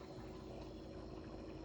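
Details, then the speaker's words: Kenmore refrigerator after replacing the circuit card in its obsolete compressor inverter box: low, even hum with a steady mid-pitched tone, no knocks or rattles; compressor running normally. "Yeah, the compressor's running. I think that's success."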